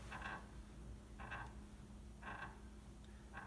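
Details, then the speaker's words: Piano sustain pedal with the kneeboard removed: four short, raspy squeaks, about one a second, each time the pedal is pressed. The squeaking sustain pedal is usually fixed by lubrication, with Teflon powder preferred over graphite. "a pretty obnoxious squeak okay"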